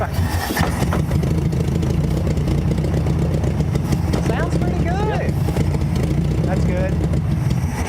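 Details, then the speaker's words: Barn-find VW Beetle, air-cooled flat-four, sat for decades, running on its own after first start with starting fluid, a little smoke: steady, even low putter with no misses or knocks; normal idle. "it a smoking it ain't nothing uh no it's it sounds good"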